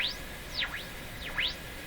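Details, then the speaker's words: General Electric CL541A ship radio: a shrill heterodyne squeal sweeps down and up in pitch over hiss while probing mixer-tube signals, with a strong 460 signal present; the interference drives up the AVC and desensitizes the radio. "I guess a good question from our radio repair point of view is you hear the interfering squeal that's varying in frequency how do you get rid of that"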